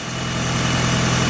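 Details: 1996 Mitsubishi Evo 4 (JDM) idling right after being jump-started from a dead battery with a 12 V power-bank jump starter: steady, even low hum with a constant note and no misses, knocks or hunting; normal smooth idle.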